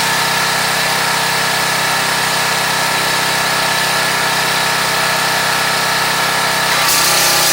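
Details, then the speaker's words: Craftsman 2700 PSI pressure washer, Briggs & Stratton 175cc engine, after a no-start repair: strong even roar under full pump pressure load with no surging or stumbling; running healthy. "Put the machine under load, full-blown pressure. See how this goes."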